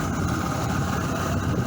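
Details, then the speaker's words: Glasstron boat outboard, new smaller propeller and hydrofoil fin fitted, test run: started easily with no hesitation or stalling, steady low burble at idle with even rhythm, no misses, no leaks, still warming up; normal idle. "No problems, it started up easy. Real easy. And didn't hesitate or stall at all."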